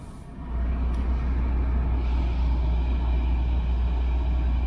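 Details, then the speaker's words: Fiat Bravo 1.2, 34,000 miles, interior: low steady engine rumble swelling slightly as the AC compressor clutch engages, then holding even with no rattle; air conditioning blowing cold and working normally. "Oh, that's nice and cold. Nice and cold, and I can hear the clutch kicking in on the aircon. Yeah, super quiet inside the car."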